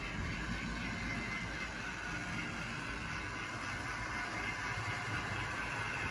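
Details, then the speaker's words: Late-1960s Tri-ang Hornby R.356S Winston Churchill loco with ancient X04 motor after maintenance, hauling heavy tinplate coaches on Super 4 track: steady even whirring with a little gear noise, expected to improve as it runs in. "listen to it what a great great noise from this loco not too echoey a little bit of gear noise more"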